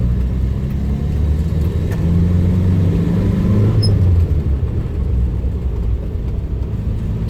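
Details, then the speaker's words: Renault 10 driven at good speed after fixing an awful groan that sounded like a dry bearing: steady, smooth low engine and road rumble with no groan returning; normal driving noise. "some proper good speed, and I'm not getting that noise to come back."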